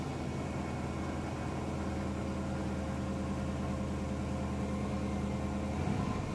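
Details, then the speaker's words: 2013 Dodge Durango R/T with start and stalling trouble: rough, uneven idle sags and wavers, keeps turning off unless revved; owner found the fault was the fuel pump relay; engine stalling at idle. "But it keeps turning off. Oh shit, that shit's crazy. I actually had to rev the motherfucker to stay"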